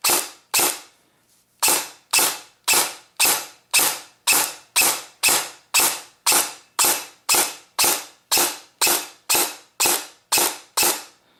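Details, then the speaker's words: Airsoft gun gearbox, dry-firing test after fixing the motor pinion: sharp, even clacks about twice a second with a rough rattle, shriekier since the motor moved; off-centre gear bushing, with no parts warming. "so um sounds like it got a lot more shriekier so the motor has definitely moved now this isn't going to be the best sounding gun basically because the uh one of the bushings and the"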